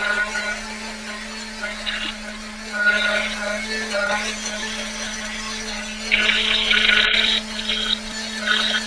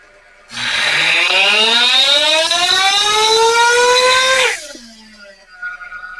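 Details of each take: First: Ielasi-tuned Terra EVO nitro RC engine warming up on the dyno: high-pitched buzz that steps up in revs and sharpens as the engine cleans out while heat saturates. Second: Ielasi-tuned Terra EVO nitro RC engine on the dyno during a pull, high-speed needle being set, idle turned up slightly: shrill scream climbing for four seconds, then dropping to a fast high idle; still rich and the idle too high.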